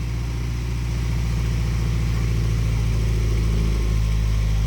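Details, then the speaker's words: Honda Civic with a GSR swap and aftermarket rods, pistons, springs, retainers and cams, which would not start after winter storage (no spark, alarm suspected), now running again: a steady, deep, even note with no knocking or misfire. "that sounds pretty good let's talk sounds really good"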